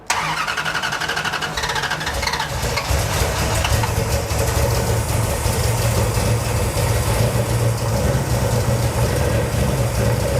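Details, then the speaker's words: Cold first start of a 451 cu in big-block Mopar in a 1978 Dodge D200 with a new Edelbrock VRS 850 carburetor at out-of-box settings, floats seemingly high: catches, then a steady, low, lazy V8 burble; idle a little slow. "Idle's a little slow, but it's idling. And it's cold."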